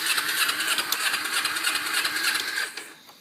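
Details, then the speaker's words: 2006 Kawasaki Ninja 250 that sat two years, with fresh gas and a new petcock. A fast, even starter whir cranks about three seconds without a single fire or thump. It was solved by replacing the carburetor. "there not even a thump or anything trying to turn over"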